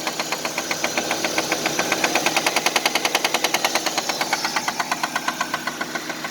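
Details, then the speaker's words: 1999 Nissan Altima petrol engine idling with a loud, deep, sharp, evenly spaced knock, about five to six per second, unlike light valvetrain tick; rod knock. "usually with valve train it just you have a light knock up top and usually goes with a little sound you know but this is definitely a rock very deep very loud"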